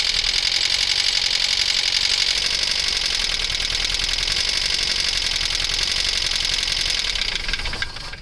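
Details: 1.9L Ford Escort engine at cold start: harsh, fast, high-pitched metallic rattle tied to engine speed; suspected dropped valve seat in the combustion chamber, a common failure on these engines, later confirmed by compression check.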